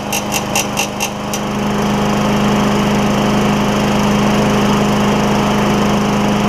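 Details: Craftsman self-propelled mower with Tecumseh Vector engine after carburetor replacement, primed and started without the air filter: a few quick clicks, then it catches and settles into a steady, even drone with no surging.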